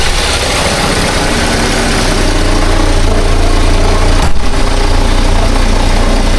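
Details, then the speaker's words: 2011 Buick Regal Ecotec Turbo bought at auction, running poorly, before repair: loud uneven idle with a rough, irregular chatter under the engine note; owner is nearly sure the timing chain is bad, fitting a stretched, loose chain. "It's a Eco Tech Turbo. EcoTech Turbo. And I'm suspecting that the timing chain's bad. I'm 99.9% sure."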